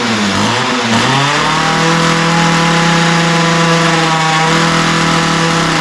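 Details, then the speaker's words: Ryobi two-stroke line trimmer, after a lean idle and top end were corrected by opening the mixture screws and setting the low-speed needle slightly rich: revs climb quickly, then hold a steady high buzz with no surging or bogging. It is running well. "yeah so that's what I like to see it sounds pretty good right now I took a little tinkering with the low speed mixture needle to get it just right"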